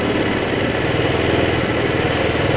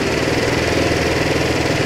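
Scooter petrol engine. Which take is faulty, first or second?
first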